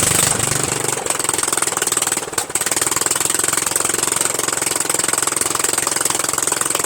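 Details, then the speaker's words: Murray Widebody LT 14.5 42" lawn tractor on its first run after adding gas; the fuel solenoid works. Harsh, raspy, fast uneven popping barks straight from the open exhaust port. The missing muffler makes it very loud. "as you also saw it is louder than hell right"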